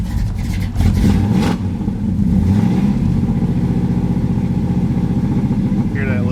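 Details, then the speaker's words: Cold V8 truck start with no choke, idling with an uneven, burbling, lumpy beat; owner says it clears out once warm but still isn't quite right; cause unclear. "burble here no choke apparently yeah she there it clears out once it warms up but it's still got a ain't quite right"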